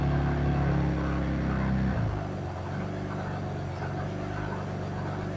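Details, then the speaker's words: 1967 Ford Anglia 105E with Mitsubishi 6A13TT twin-turbo V6, after coilpack connector fix and rechecking plugs and ECU wiring: rough-running engine with a steady light tap about four a second, sounding top-end; cause unconfirmed. "still there little consistent knock cut the tap tap tap tap the tap so at least the engine runs"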